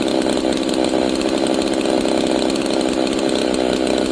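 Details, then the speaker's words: G660 chainsaw after a timing advance, being retuned: holds a fast, busy buzz at idle instead of a slow burble; idle too high because too lean, to be fixed by richening the idle mixture. "So, it's too lean. That's why it's kind of staying high RPMish at the idle. So, I'm going to give it more fuel."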